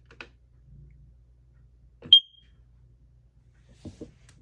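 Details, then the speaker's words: Kidde/Nighthawk KN-COPP-B carbon monoxide alarm (1997, 3 AA batteries), test button pressed: single short high-pitched chirp then quiet, test tone cut short, possibly because button was not held long enough; normal test beep. "All right, let's go ahead and hit the test button and see what it does. I bet it's going to do continuous."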